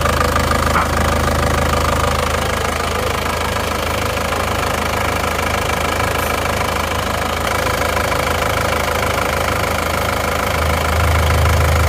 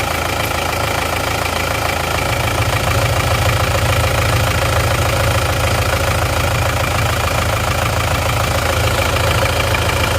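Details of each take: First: Isuzu Panther diesel just after overhaul (two liners replaced and flipped, new piston rings), just started and still cold, some smoke from assembly oil: even idle with usual light clatter at a steady beat, nothing rough; sounds excellent. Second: Isuzu Panther touring turbo diesel that ran out of radiator coolant, idling before overhaul, oil catch tank fitted: steady idle with rough even chuffing about three times a second; heavy crankcase blow-by, high oil consumption.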